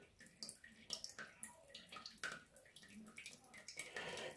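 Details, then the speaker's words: 10-year-old Ideal Standard toilet, second dirtier unit, before repair: thin steady trickle and splash as the inlet valve keeps dribbling water into the cistern instead of shutting off, caused by a little rubber flange inside the valve. "you can see there's quite a dribble coming from the inlet valve way down here this is caused by a little rubber flange that's inside"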